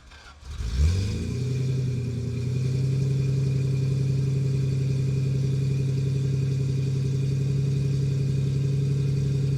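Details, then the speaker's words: Restored 1973 Jaguar E-Type Series 3 V12, about 1,000 miles since restoration, unstarted for a week, cold start on full choke, mic at exhaust: quick crank, catches cleanly, smooth even high idle, no misses or knocks. "So what we'll do is I'll get Aidan to photograph the exhaust, and we'll start it up from cold. Actually, this car hasn't been started for, what, a week or something like that?"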